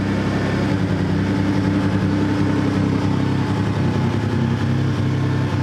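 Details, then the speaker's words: Toyota 4Runner 3.4 V6 with P0300/P0305 codes, loud due to a bad exhaust: deep idle with an uneven, stumbling beat from an alternating, not steady, misfire; a coil is suspected. "think you can hear it here that there it's not a steady miss it's like an alternating miss"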